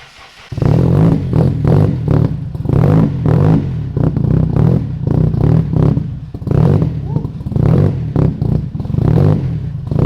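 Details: Turbo KA (KA-T) engine on first start after warped turbo manifold gasket replaced: rough running with heavy low knocks pulsing with revs, deep thuds under exhaust; knock earlier unsure head or bottom end, points to rod knock.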